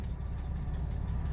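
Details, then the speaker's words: 1987 Nissan Pathfinder VG30i V6 with a Weber carburetor conversion, restarted while still fairly warm, foot off the gas and clutch in: it starts right away into a low, even rumble with no misses or stumbles. "beautifully beautifully starts right out"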